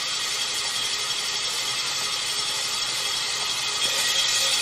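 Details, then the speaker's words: Cadillac Northstar L37 4.6L V8 bought for teardown, cranked on the starter with spark plugs removed: harsh high-pitched grinding scrape with a rough beat about four times a second; starter grinding on a damaged flywheel. "look at that flywheel sounds terrible"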